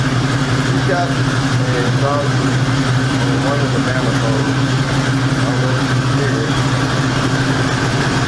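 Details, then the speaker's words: 1973 Ford Mustang Mach 1 351 Cleveland V8 at idle: steady idle with a faint puffing tick on the exhaust beat; exhaust manifold gasket blown at the corner, manifold bolts rusted, gaskets to be replaced. "we seen that the manifold gasket just actually blowed uh right at the corner so I was going to replace the gaskets"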